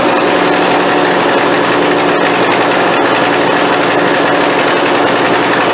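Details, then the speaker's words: Craftsman YT4000 hydrostatic riding mower after fuel system work, valves not yet adjusted: loud buzzy engine with a brief stumble partway through, uneven unhealthy running; likely fuel delivery, owner expects carburetor problem. "Well, that doesn't sound nearly as healthy as it did the first time, does it?"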